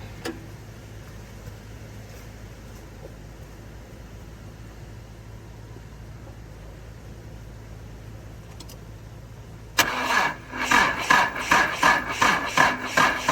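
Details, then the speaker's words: Subaru L-series (Leone) farm car being revived, jumped from another vehicle, fuel pump condition unknown. Quiet, then the starter turns the engine in slow, uneven chugs about twice a second without catching. Sluggish cranking, seems short of power. Spark not yet checked. "Alright, seems to be struggling with power. I just don't know if I'm getting the cranks up."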